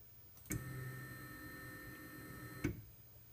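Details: Stock bushings on Carl's aluminum carriage, recorded before swapping to linear ball bearings; sound app reads about 72. A thin, steady motor whine with soft clicks where the carriage starts and stops; smooth, even, normal travel noise.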